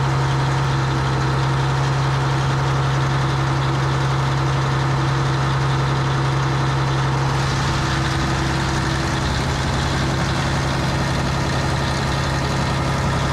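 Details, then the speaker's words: Diesel scraper at a fast idle with the A/C running, refrigerant just topped up: a constant low drone while the compressor kicks in and out too often. It pulls suction to 10 psi; the owner suspects the expansion valve. "so okay she's blown cold air but it's short cycling it's pulling the suction side down to 10 which tells me there's something wrong with the uh expansion valve"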